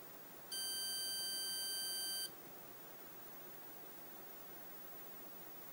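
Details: 1981 Osborne 1 portable computer failing to start: one long steady high beep of nearly two seconds, repeating; owner suspects bad ROM, Z80 CPU replacement didn't help.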